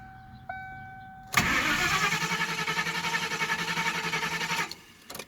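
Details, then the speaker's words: Vehicle with a new 550 CCA battery, after removing a plate near the throttle: fuel pump hums, then about three seconds of starter cranking with no firing; cranks but won't start, fuel smell, lean-running code; owner suspects it's running too lean. "Yeah, there's no fire whatsoever. And it did that the last time."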